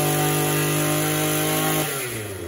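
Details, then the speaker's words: Echo Power Edge 280 curved-shaft two-stroke edger runs okay at wide-open throttle, steady high buzz, but when throttled down to idle the revs sink and sputter, smothering out and dying; stalls at idle, fuel system being tested. "it runs okay wide open throttle but once you kick it down to idle it just smothers out and dies"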